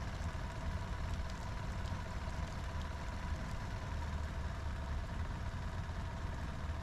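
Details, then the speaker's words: Sea Ray boat engine after fuel line replacement, idling low. Steady but slow idle with no rise. IAC test shows no reaction and the IAC fault is active; circuit tested good, so the IAC is bad. "I just ran an idle air control valve test with the engine on and saw no reaction. Idle is low though."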